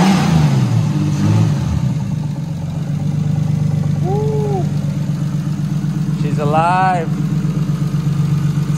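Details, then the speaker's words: Nissan R34 Skyline RB25DET just after cam seal replacement and reassembly: a steady, even idle with a low, smooth beat and no knocks or ticks. It started right up without problems. "actually father than that started right up no problems"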